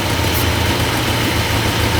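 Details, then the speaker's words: 1966 Chrysler V8 with a freshly reassembled engine idles lumpy and stumbling right away. A brake booster vacuum leak is suspected; once the booster vacuum line was plugged, the engine ran nicely. "yeah right instantly runs like [ __ ] something's wrong with that booster"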